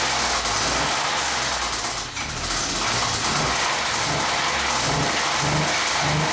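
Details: 1998 Ford SVT Contour at idle: loose, deep knocking near four per second from the block, caused by bad rod bearings.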